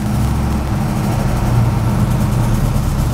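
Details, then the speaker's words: Fairmont V8 at idle: deep rumble with a loose, buzzy metallic rattle from the original-style exhaust cutout valve, which was bent after hitting the ground and had worn, rusty bearings. "So just sitting there in idle, you'd get this. You can kind of hear what I'm talking about in this clip. Hear that rattle? That's what we're getting"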